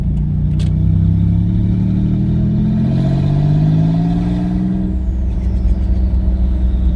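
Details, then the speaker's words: Twin-turbo V6 Mustang with new DW 340lph fuel pump, accelerating on a drive: note climbs with throttle, drops at shift, climbs again; no stumble or stall on lift-off (the other car died then); pulls fine. "she hasn't died on me yet i mean it sounds fine yeah i could hear you ripping well from my end it sounds pretty cool"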